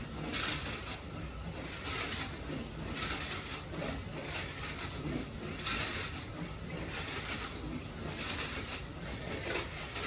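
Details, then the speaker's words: Slot car with completed rattle pan chassis running at 10 volts on track, clean tires: buzzy high rattle rising and fading each pass; rattle pan noise expected, owner suspects mostly the front axle. "That noise you're hearing is the rattle pan, as expected, but I think it's mostly that front axle."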